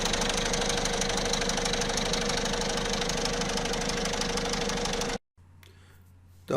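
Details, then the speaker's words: Peugeot/Citroën 1.6 HDi diesel at idle: fast, uneven metallic rattle about three beats a second that strengthens and fades, from the steel chain linking the two camshafts; slack timing chain, tensioner likely needs replacing. "هو الصوت هذا اللي موجود في المحرك، كون الدوبل اربراكام في الامبوان 6 اتش دي فيهم شان حديد، كاتين حديد تربط ما بين اثنين اربراكام، ما بين الاثنين تاع الاربراكام، ما بين نصوص الاربراكامات."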